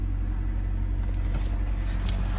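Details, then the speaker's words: Wrecked, non-running 25-year-old Honda first fired after battery reconnected: key on, fuel pump on, engine catches and idles with a steady, even low rumble, no misses, knocks or ticks; still needs timing belt, water pump (leaking) and driver wheel bearing. "Key on, ignition on, fuel pump on. Oh, yeah, she's alive. Nice."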